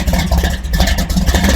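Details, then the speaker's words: 1964 Chevy II gasser V8 with tunnel ram, restarted after a year in storage and flooding from throttle; deep lumpy rumble steady through short throttle blips, firing strong and even, normal running before warm-up. "and everyone's happy this thing sounds so good it's too bad it's probably blowing out the microphones here"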